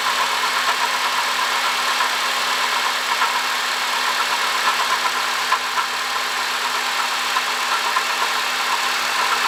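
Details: 2005 Honda Odyssey, 268,167 km: idle with steady hiss and faint irregular light ticks and chirps; worn water pump bearing, cured by replacing water pump, thermostat, thermo switch and coolant.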